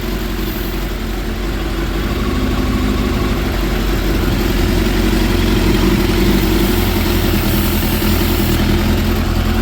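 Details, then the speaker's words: 2006 Suzuki GSX 600F Katana running rich with black smoke when revved: starter spray on intake boots, idle stays steady and slightly uneven with no rpm change, so no intake air leak. "And the RPMs does not seem to react to it, so I'm just gonna turn off the carburetors fit nice and tight."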